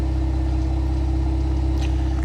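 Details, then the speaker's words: 2025 Ram 1500 Rebel, twin-turbo inline-six SST, 2,500 miles, heard at the exhaust at idle after the engine cover was removed; smooth, even idle with no vibration or misses, normal, but the fix is doubtful. "not a problem I don't hear anything abnormal I don't feel any vibrations"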